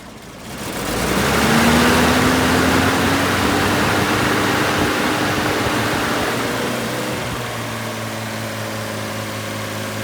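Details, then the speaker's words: Toyota fan clutch modified with 10,000 cSt silicone fluid, reinstalled and revved right after startup: strong whooshing fan roar over the engine that eases only slightly. It stays engaged much longer than the stock clutch, which disengaged right away. "And what you're going to notice is that it's going to take much longer for this to disengage than it did on the previous clip that I just played."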